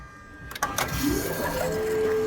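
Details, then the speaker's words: Mazdaspeed 3 after head gasket replacement with head studs and a Cometic gasket, first key-on before fire-up: short electric whine rising into a steady mid-pitched hum, an unusually loud, odd-sounding fuel pump prime. "oh that sounded like a ufo dude that sounded weird do that one more time oh that's creepy"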